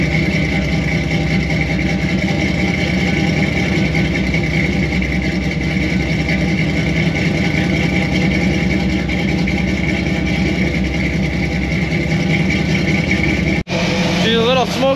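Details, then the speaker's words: Squarebody Chevy C20 V8 with new Edelbrock 1906 carb, first start before tuning, camera near exhaust: steady, slightly uneven idle with a constant hiss from an open, unplugged carburetor vacuum port; big vacuum leak. "she's sad for a little bit but i don't know how well you can hear this but listen to this so that's definitely a big vacuum leak"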